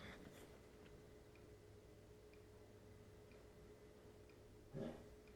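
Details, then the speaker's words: Dell Alienware X51 R2 desktop: the front hard-drive fan repeatedly stops and restarts with a faint click about once a second; owner suspects the motherboard is resetting, possibly from a bad power supply. "The fan that's up here in the front, it's turning on and off, and every time it does, I hear the click."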